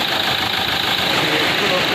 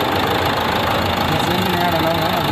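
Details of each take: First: Renault Duster 110 PS diesel after injector fix via software programming/return-flow check: steady, even idle with smooth hum, no tak-tak knocking left; normal idle. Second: Renault Duster 110PS diesel idling with a hard, rapid tak-tak knock about three per second, worst in the morning with white smoke and no check light; the injectors knock and need coding.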